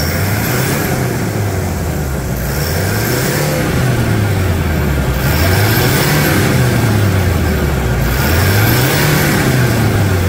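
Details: Toyota SW4 3.0 diesel, 2012, about 285,000 km, after service for a loud engine noise, power loss and leaking broken turbo. Blipped up and down about every three seconds, smooth rise and fall, no rattle or whistle; sounds healthy.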